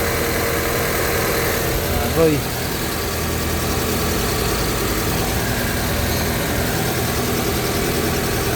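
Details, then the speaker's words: 2000 Honda Civic VTi, warm engine, idle too high (drops with aircon or lights on), while the idle air control valve/throttle body is inspected: a steady, fairly fast idle hum that never drops back to a normal slow tickover. "Silipin natin kung anong itsura nito. Is aar body. Taas ng menor. Sobra."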